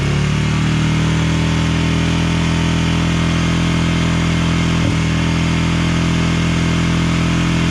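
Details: 1999 Honda TRX 300FW ATV after years sitting with bad gas, first run, on choke, air box lid off: single thumps with an uneven, hunting beat, rough running; possibly tuned for the lid.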